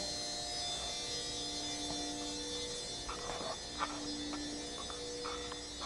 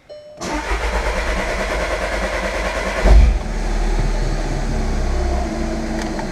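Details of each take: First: 2013 Jetta TDI auxiliary fuel pump run via scan tool basic settings group 35, key on, engine off: even electric hum with faint steady whine and light clicks, running without strain; normal auxiliary fuel pump operation. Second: 2013 Jetta TDI right after replacing the auxiliary fuel pump (which whined when hot) and a fuel system flush: starter churns nearly three seconds before catching with a surge and settling to idle; slow to start.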